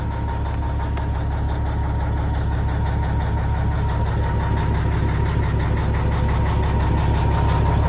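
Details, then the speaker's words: High-mileage Cat 3406 mechanical diesel in an older button-start truck at an auction yard, with decent oil pressure and no jake brakes: a steady low idle clatter of about three beats a second with no misses or knocks. It sounds healthy. "3406 mechanical, lots of miles, so it hopefully goes for a cheap price. Decent oil pressure. Oh, it sounds good too."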